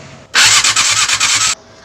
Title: Yamaha R6 | Hard Start Issue | Part 2